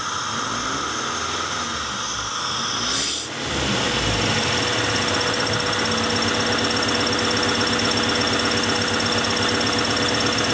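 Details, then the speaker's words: 1994 Acura Integra, 1.8 L DOHC, warm engine: high hissing idle falls to a lower, steadier idle when the lower throttle-body port to the cold fast idle valve is covered by finger; extra air through the stuck valve causes the surge. "That sounds a lot better. I'm going to plug the upper one now."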